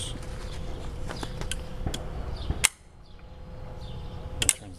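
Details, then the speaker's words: CNC optical tracer gas plasma cutter with a Westinghouse Linatrol HL-90 controller: sharp clicks about every second over a steady hum as the gas on/off solenoid snaps in and out, working normally. "gas on that turns the gas on and off solenoid it's working or you can hear it punching in and out"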